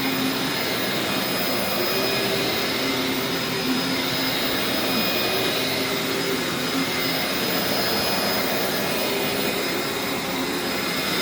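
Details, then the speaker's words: Dyson DC04 Absolute Plus upright vacuum running: steady even motor hiss and constant whine, no rattles or surges. Agitates okay, much quieter than the later DC07, healthy normal running. "actually manages to agitate okay and it's not it's not great agitation for a you know it's an old Dyson so you don't expect it to agitate at all but and it's actually not very loud it's much quieter than it's been the later dco7"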